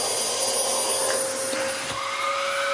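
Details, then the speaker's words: Dyson DC07 upright vacuum from a free job lot, second machine tested before refurbishment: smooth, steady motor howl with a clean high whistle and even airflow, no rattles or surging; runs healthy. "Ooh. That's even got the nice howl that a decent Dyson DC07 does."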